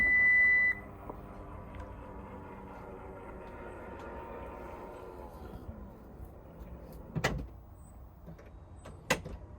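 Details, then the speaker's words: Lexus NX power tailgate after greasing the telescopic struts (part 68920-48061), which had made a rumbling grating noise in warm weather; beep, soft even motor whir, light latch clunk, closing quietly. "Quiet as a mouse. I'll do it one more time."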